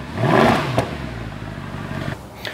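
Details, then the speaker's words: Mercedes W212 E63 AMG, M156 6.3 L V8, after replacing throttle body plate, resealing leaking intake manifold and cleaning injectors: once so rough it barely ran, now throttle blips rise cleanly and fall to a smooth, quiet idle with no stumble. "this thing was so rough it barely wanted to run and just listen to it now silent awesome"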